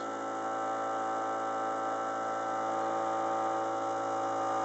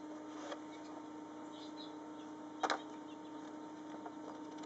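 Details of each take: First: Aquarium VorTech MP10 pump with the motor unit misaligned to the propeller across the glass: a steady, tone-rich hum with a faint rapid rattle plus vibration; turning the adjustment back a little removes both. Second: VorTech MP10 aquarium pump on a reef tank running in constant current mode at maximum speed: a steady, even mid-pitched motor hum with a few light handling clicks; normal operation.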